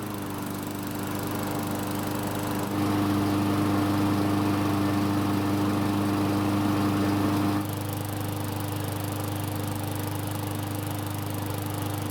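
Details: Poulan lawn mower kept outside long, revived after no-start, oiled air filter refitted and primed, longer test run: small single-cylinder engine runs steady and even with constant hum, no misses; normal running, though it later seemed reluctant to stop.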